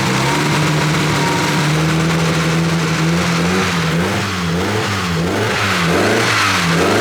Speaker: see the turbo spools up a little bit okay we can't run it for too long there's no cooling it